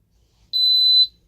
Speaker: Now we'll do the carbon monoxide zone. You can hear with this, it does the temporal 3 beeping, and it just says alarm 04.